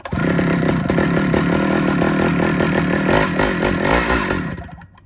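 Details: Stihl 009L chainsaw after fuel line and oiler work, cutting wood: a sharp two-stroke buzz holding high revs, dipping slightly as it bites into the wood, then winding down cleanly; it runs, oils and cuts well.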